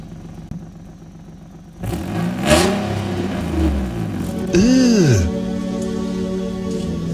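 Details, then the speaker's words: 2015 Infiniti Q50 3.7 V6 starts and revs with a loud, raspy, blatting exhaust; the Y-pipe flex section is frayed and blown, causing a massive exhaust leak, before replacing Y-pipe and resonator with a midpipe. "So, as you guys can see right there, uh the the little barbed part right there on the Ypipe is frayed. And so that [ __ ] causes it to have a massive exhaust leak."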